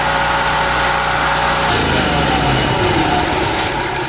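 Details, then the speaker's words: Hurricane-flooded generator, previously under salt water with electronics submerged, restarted after running the carburetor dry of fuel; small single-cylinder engine holds a steady, even buzz at governed speed, no knocks or misses; normal running. "It just shows you if you let it run until all the fuel is out of the carburetor, you can usually go right back to it and crank it up. Even if it's been under salt water."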